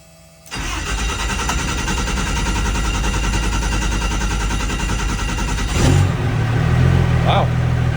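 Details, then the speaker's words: Diesel race truck, first start after installing dual Exergy 14mm Alpha CP3 fuel pumps with an updated file, transmission in neutral. Brief starter whir, then it fires straight away and settles into a steady, even idle; a clean, effortless, normal start. "All right, and that's all we do on the trans, but that fired up effortlessly."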